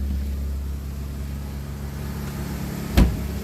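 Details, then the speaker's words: French car with carburettor and automatic choke, fresh fuel just added, brakes still locking: low, even idle hum holding steady with no misses or knocks, one brief click; runs smoothly like a sewing machine, some smoke. "Sounds pretty good. Sounds like a sewing machine. We got fresh fuel."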